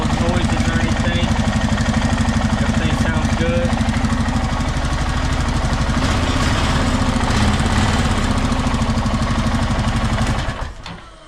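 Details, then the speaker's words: 2014+ Honda 420/500/520 Rancher/Foreman/Rubicon ATV single-cylinder engine just after timing chain, tensioner and guide replacement, started without coolant: fires right up into an even thump, no knocks or rattles, shuts off cleanly; normal start and idle. "As you can see right there, it starts up good. Everything's smooth."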